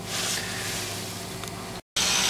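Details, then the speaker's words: GM hydrogen fuel cell 2007 Chevrolet Equinox, just started and ready: steady airy hiss with faint scratchy squeak from the fuel cell taking in hydrogen plus some exhaust noise, no engine beat; normal running. "so the fuel cell does Make some noise it's not as quiet as you might think hear that little squeaking noise or little scratching noise and that's the fuel cell"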